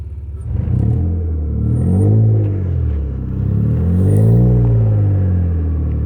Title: v6 TL running on 3 cylinders cuz of bad injectors